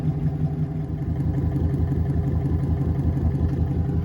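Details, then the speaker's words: Boat electric motor conversion driving a straightened propeller shaft after alignment adjustments: even low hum with a steady soft pulse about three per second, no bounce or knock; shaft vibration, previously nearly 2 mm, is eliminated. "I don't have any vibrations here at all anymore before it was almost 2 mm bouncing around so this is pretty good"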